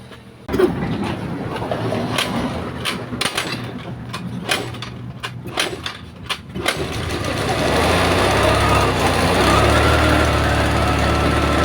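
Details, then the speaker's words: GY6-type scooter kick-started, settling into a steady even run; the battery kept going flat because it would not start, and the fault was the spark plug. "so umandar naandar na so sa case na motor na ito guys sinabi ko kasi ung sabi ng may-ari lowbat daw po ung battery kaya Aya umandar no"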